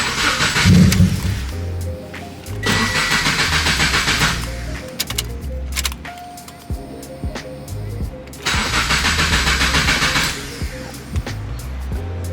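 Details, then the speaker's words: Car cold start attempt: starter cranks in steady bursts, about four turns a second, but the engine never fires; crank, no start with no check engine light, cause unknown. It later started with no misfires. "that's interesting no start what the let's see if there's a check engine light for anything"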